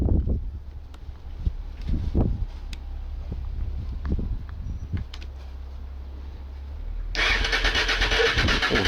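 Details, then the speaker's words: Late-80s Honda Bros/Hawk GT 650 V-twin motorcycle, first start after sitting in the shed: starter churns in uneven bursts with brief firing attempts that never catch, then cuts off; fuel tap was left off so no fuel reaches the engine. "Oh, after all that, I forgot to bloody put the fuel on."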